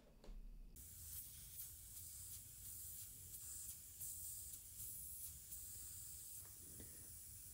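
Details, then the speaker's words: New Polar Air Industrial Plus 7.5 HP compressor (Eaton), motor off: steady sharp hiss of air escaping through a hole at a bad weld end on the tank, a factory defect found on first run. "The freaking tank has a hole in it. Somebody didn't check their welds when they did it and had a real nasty end to their weld."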